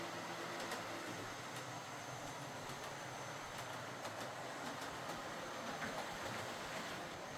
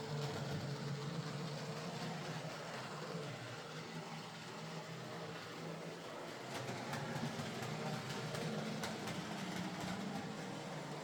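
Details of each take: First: Model HST power car with high mileage and worn brushes, test-run after a full ring field service, bogie cleanup and replacement brushes: even, unbroken motor hum with faint track clicks, no catching or scraping. Normal running. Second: Model locomotive, split chassis, after reassembly with a new motor (axles previously replaced): an uneven rattly whirr with irregular clunks a few times a second, runs okay but clunky and noisy, possibly typical of split-chassis design and this motor.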